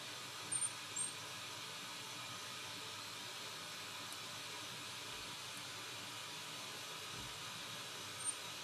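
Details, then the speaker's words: Bang & Olufsen BeoCenter 5000 being restored, tone board refitted, tuned to FM: steady hiss with only faint chirps and no clear station; very poor FM reception, but the signal now passes through the board. "Got something. That is FM. Very poor reception, but it's FM. Really poor reception, but Yeah."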